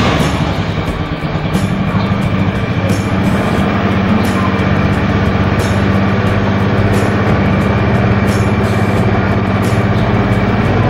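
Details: 2011 Honda Scoopy scooter with an original, never-opened engine, started on the electric starter; steady, even low putter with no knocks or rattles, a clean normal idle.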